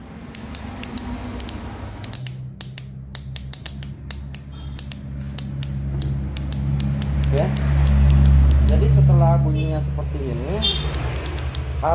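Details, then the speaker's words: Yamaha Xeon carburetor scooter: pressing starter gives rapid even clicking, about four per second, but starter motor never cranks engine; faulty starter relay not connecting to starter dynamo, replaced with new relay. "Nah sekarang kita coba untuk menstarter motor ini ya teman-teman Dengarkan apabila distarter dia hanya bunyi cetek cetek cetek"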